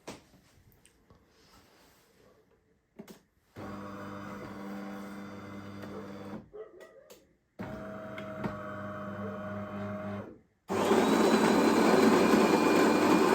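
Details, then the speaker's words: Used bean-to-cup automatic coffee machine, grinder on high setting during test: steady even hum in two runs, no whine or grinding; grinder sounds solid and healthy. "And then The grinder, I think, was solid, although on the high setting."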